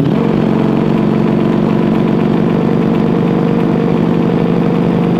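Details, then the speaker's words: Ducati Desmosedici RR V4 on first start of a recommission project after priming: even, steady burble with no misses or knocks; idles healthily with no leaks, a little smoke on startup. "sounds awesome it sounds it sounds sweet no leaks"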